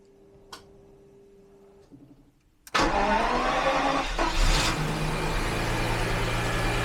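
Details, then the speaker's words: 1991 Jaguar XJS V12 convertible, after a broken wire was replaced, battery just reconnected: starter cranks briefly, engine catches with a roar and settles into a fairly steady idle; starts normally, though it needs a few good runs and maybe new spark plugs. "there we go it definitely just really really needs a couple of good runs and maybe a new set of spark"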